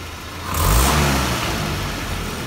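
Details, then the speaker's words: Land Rover Series 3 carburettor engine after carb cleaner sprayed in: clean pickup on full throttle snap, rising smoothly and settling without hesitation, which it showed before the cleaning. "actually seems more responsive now before i did beforehand when i put my put the throttle full open it hesitated but now it's not hesitating"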